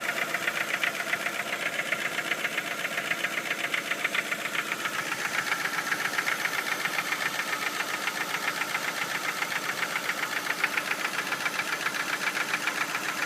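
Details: Ford Focus 1 2.0 Split Port at idle; sharp, even ticking knock, about three to four per second; engine knock, owner doesn't know the cause.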